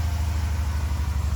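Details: LS-swapped Chevy square body truck that sat for years, cold first start after fuel, electrical, timing and VATS delete work, cold revs: deep, even V8 rumble with steady low beat, no knocks or misses; running smoothly.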